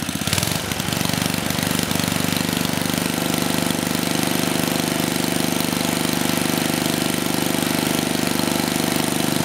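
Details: 34-year-old Tecumseh H30-35387Y single-cylinder on a Troy-Bilt Tuffy tiller (model 12060), on a new clone carburetor after no-compression repair; starts and settles into a fast, even putter with crisp exhaust beats, no misses; runs properly, some exhaust smoke.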